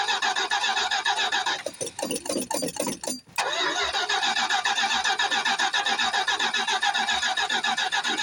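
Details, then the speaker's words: 1973 Plymouth Fury III, revived after 7 years off the road, starting cold on bad gas: engine catches and runs rough with an uneven spitting, sputtering beat and occasional stumbles; still sputtering but not running too bad. "Yeah, she's still spitting and sputtering, but we'll see if we can get her to come to life."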